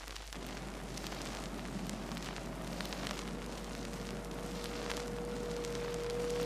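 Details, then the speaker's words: Rear axle whine heard on acceleration: a thin whine rising in pitch over heavy road noise as speed increases, possibly from pinion-to-ring gear tooth contact or pinion shaft bearings; rear axle gear whine. "Hey, that sounds like a wine to me. All right. And you couldn't miss how that rear axle wine kept getting higher in pitch. It went right on up the scale."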